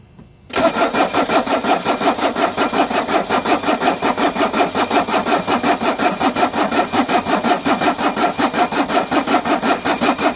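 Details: Mercedes 240D diesel revived after sitting for years, cold day mid-40s°F, fresh oil: steady rhythmic cranking about three beats a second, never fires; no glow plugs working, primer pump suspected.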